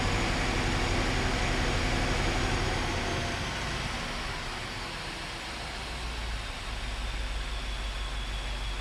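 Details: BMW F13 650i N63TU V8, first start after oil pump chain tensioning, oil filter pre-filled: fires and flares high, then eases to a steady, even idle with no chain rattle or knocking; a clean normal start, with no leaks found underneath.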